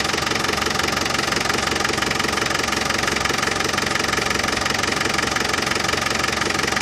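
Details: Land Rover Defender 200Tdi diesel idling after new power steering pump fitted, during fluid top-up and bleeding: steady even clatter, no extra rattle; new pump cured the rattle.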